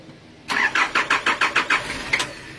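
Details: 1993 Nissan Terrano diesel being diagnosed for hard starting. The starter spins it through about eight even compression strokes, roughly six a second, then quits without catching: fuel starvation, with water likely in the fuel filter.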